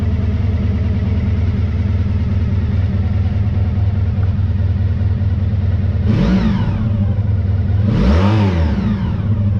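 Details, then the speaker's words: 1985 VF1000R after carb cleaning and balancing fixed a poor idle from years of sitting, with a final header-temperature check of all four cylinders at idle. Steady idle that rises cleanly on two quick blips and settles straight back, with all cylinders pulling. "I'm just checking the head attempts uh again just as a final check that all four cylinders are fueling correctly at idle"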